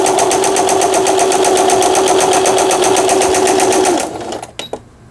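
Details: Singer Fashion Mate 6160 home sewing machine, repaired after an apparent fall-impact shock, test sewing straight stitch; even rapid clatter about four stitches a second with steady motor hum, then a clean stop, sewing normally.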